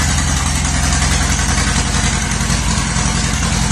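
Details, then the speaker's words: Healthy idle of a 1950s–60s John Deere bulldozer, started after sitting 20+ years in a garage; deep, even two-cylinder chug at steady low idle, no misses or knocks, left to warm up before lifting the bucket. "It's alive! It's alive! Let it warm up for a little bit there and lift up the bucket."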